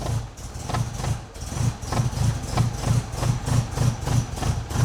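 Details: Classic Mini after an excessive oil pressure warranty repair (two coils removed from the relief spring, pump plate surface ground), distributor not yet tuned, jump-started: regular low beat around 200 pulses a minute with no knocks.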